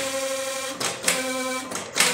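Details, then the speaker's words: Industrial sewing machine clutch motor running: steady hum with high, rough ringing whine and intermittent rattling bursts; motor noise, suspected lack of grease or oil in the small hole, or a worn cork making irregular contact. "qué hacemos en ese caso muy fácil pueden ser dos la causa puede ser que simplemente le esté faltando aquí un poco engrasada o aceite en este agujerito o también podría ser que el corcho tenga desgaste y por ello está haciendo un contacto irregular y causa de ese sonido"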